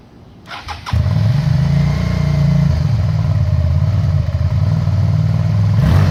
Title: 2001 Suzuki SV650 Engine Misfire on Cold Start